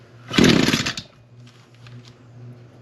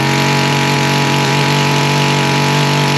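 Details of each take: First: Echo PAS225 trimmer, cold start on half choke after priming: short raspy rev that never climbs to full throttle, then low lumpy idle; bogging from rich running, exhaust port to be checked. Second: Echo string trimmer after carburetor adjustment to restore full throttle: high steady scream at full throttle, drops cleanly to an even idle without stumbling, head not spinning at idle; runs properly.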